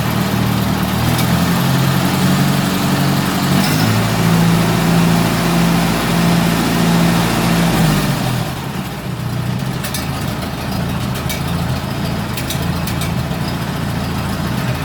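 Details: Massey Harris 81 tractor (engine from a 101 Junior), hood off, after a carburetor rebuild and choke adjustment, first run in 15 years: a steady low drone, smooth and even with no misfires, easing off then cutting out cleanly; normal idle.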